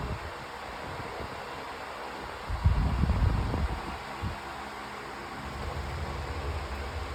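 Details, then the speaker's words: Pedestal fan on high speed with oscillation on: steady, even airy rush with low motor hum, no ticking or scraping; loud but usable, speed slowly building, pushes a lot of air; normal fan. "It's kind of a loud fan, but um not like super loud to the point I can't really use it. These fans are designed to be this loud, I'm not exactly sure."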